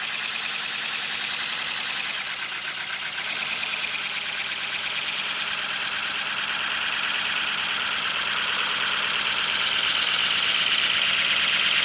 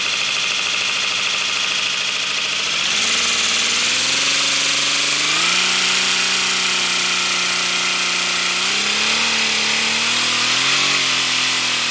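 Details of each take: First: First-build 3D-printed PLA V12 model engine on compressed air, freshly lubricated, no exhaust port yet: fast, even chuff under strong air hiss growing louder as pressure is raised; running smoothly. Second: 3D-printed PLA V12 model engine run on air pressure: loud steady hiss of escaping air with shifting tones and no running beat as it locks up; owner suspects PLA connecting rods melted from heat and bound.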